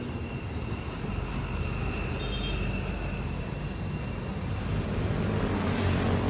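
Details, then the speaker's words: Motorcycle sound check after repair at a motor shop: quiet, even engine hum that builds slightly, with no clatter, knocking or whine; now quiet and running well. "Pakinggan nyo mga dre, tahimik na. Sulit na naman mga dre."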